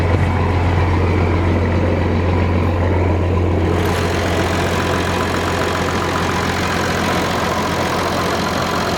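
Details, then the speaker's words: Massey Ferguson 760 diesel fed by an auxiliary electric fuel pump holds a steady, even idle with no stumbling or surging. The old mechanical lift pump loses prime back to the tank, air enters through leaks on the injection rail. Running on the electric pump. "so by just putting electric pump on there proves that it has issues with that lift pump mechanical sucking it all the way up there"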